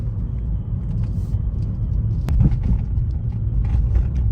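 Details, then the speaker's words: 2011 Suzuki Swift 1.2 petrol after a worn clutch was replaced with a new clutch kit, driving gently in third gear: a low, even rumble with no clutch judder, slip noise or gearbox whine. "So, that's second gear. It's really smooth. That's third gear."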